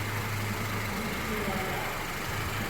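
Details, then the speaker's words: Engine idling after an inspection where the complaint was a check engine light, having run a while with no leaks and a dry floor: smooth, even low hum with no ticks, squeal or rattle; running properly. "yeah now it's running proper damn advisers"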